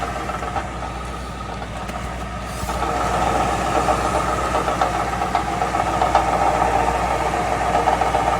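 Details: 2005 Mercury Grand Marquis GS V8 at steady idle with a fast, uneven buzzing rattle from underneath, about three or four a second; owner suspects resonator, heat shield, catalytic converter or muffler, cause unclear.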